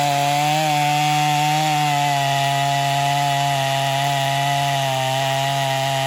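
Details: Stihl MS250 chainsaw after carb tuning, test cut: strong steady high-revving drone holding pitch while biting into wood, pulling cleanly under load. Tuned rich for break-in; healthy, though compression is possibly a little low.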